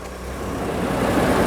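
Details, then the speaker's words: 2015 Ford F150 3.5 EcoBoost turbo at startup after a spark plug upgrade and a high-flow air filter: smooth engine, air whooshing through the intake, and the fan turning on and building; runs normally. "let's have a quick listen to the startup how good this thing sounds now with that higher flowing filter"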